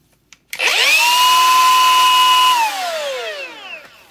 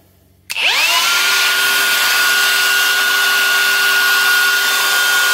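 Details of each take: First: Milwaukee M18 Fuel die grinder, faulty with a high-pitch sound and burning smell: a sharp, steady high whine holds while it runs, then slides down as it spins off; it is no longer rubbing but the bearing whine remains. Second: Milwaukee M18 Fuel die grinder after fixing an internal rub with a shim glued on the bearing housing and evenly tightened face: fast spin-up to a clean steady high whine, smooth wind-down; running normally as it should.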